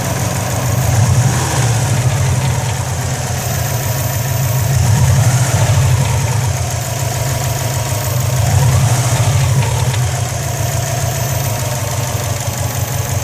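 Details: 2004 Subaru WRX idling: steady low rumble with a light metallic rattle over it, coming from the turbo area, where smoke is also seen. Cause unclear.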